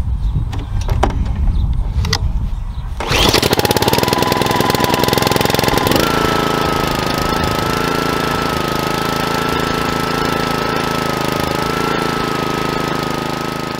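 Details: Honda GCV160 mower engine that had quit with no start, after clearing clogged carbon in the fuel cap: a few rattles, then catches and runs steady and even with a faint constant whistle. Normal running after fix.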